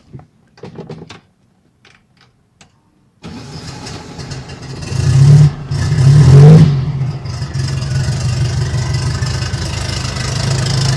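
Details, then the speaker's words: Turbocharged air-cooled VW Beetle after replacing a blown exhaust gasket: cold start cranks, catches with blips, settles into a steady even idle, still warming up, previous ticking gone, AFR reading right. "there it is still warming up but you can't hear anymore that's so far my afr looks right that's what it is on a cold start"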